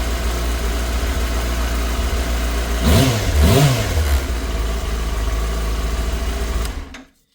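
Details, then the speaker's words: Yamaha R6 after fuel pump replacement for a no-start, running on all four cylinders, low on fuel: smooth, even note rising cleanly on a quick throttle blip and settling back; injectors seem clean, healthy revving. "No injectors are dirty or nothing, it don't seem like. It sounds pretty clean when I give it a little."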